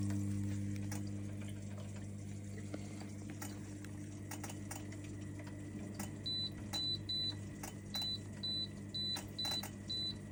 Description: Grab a repair kit above to solve that clicking sound which is causing your E02 on your lay z spa Hot Tub